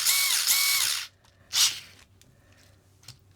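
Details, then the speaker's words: Furitek Grasshopper brushless sensored ESC/motor in Losi Micro-B after firmware 1.6 update, reverse limited to 50% (about 680 forward, 500 reverse on telemetry); sharp high whine spinning up then two short bursts, clean, no rattle, ballistically fast. "don't get me wrong it's ballistically fast as you can see it's definitely definitely easily quick enough"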